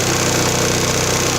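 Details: 139QMB/GY6-type four-stroke single with Chinese carburettor, after tuning the mixture screw: steady, even putter with no hunting, misses or stumbles; idle holds smooth.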